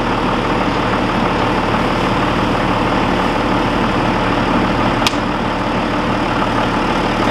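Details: John Deere 7200 tractor with an intermittent no-crank fault (key turned 20–30 times); steady low diesel clatter holding an even idle, no stumbling or hunting; normal idle.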